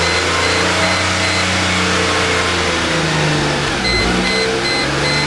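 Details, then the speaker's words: 1998 Mercedes E320, new plugs, coils swapped, MAF cleaned, random all-cylinder misfire codes, limited to about 15 mph: revs toward 3,500-4,000 rpm at wide open throttle, then stumbles and bogs; owner suspects plugged catalytic converters; temperature rising. "guys see It'll reach 3500 but then it'll start to"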